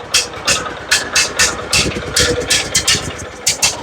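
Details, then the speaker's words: John Deere riding mower with a Kohler Command engine on a cheap aftermarket carburetor, choke applied, runs with a lumpy, loping beat of sharp puffs, dumping too much fuel. Rich running, flooding carburetor. "No? Dumping too much fuel or something here."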